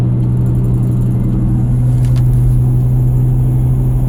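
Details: 2001 Ford Excursion: steady low droning whine at constant pitch over the vehicle's rumble, source unknown. Unidentified whine.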